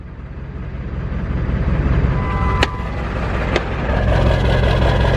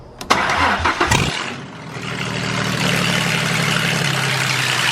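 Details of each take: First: Diesel truck after parts install to fix hard starting: short crank, catches quickly and settles into a steady, even idle clatter; starts normally now. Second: Turbo project car started by jumping the starter with a screwdriver after swapping a clicking relay, no exhaust fitted: quick crank, sharp crack, then harsh, raw, extremely loud open-header idle.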